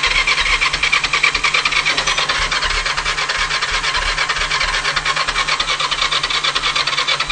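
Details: Kawasaki GPZ500 cranks but won't start: starter whirs with an even chug about three times a second, no firing or catch, despite new fuel, new plugs, new HT lead and coil, new battery, drained carbs and checks for air leaks.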